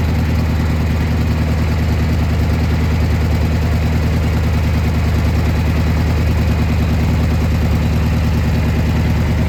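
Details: Gravely G-16 tractor, roughly late-80s/90s, not run in a few years, on its own tank fuel: steady even low rumble, no knocks or stumbles; runs and drives pretty good, smokes a little.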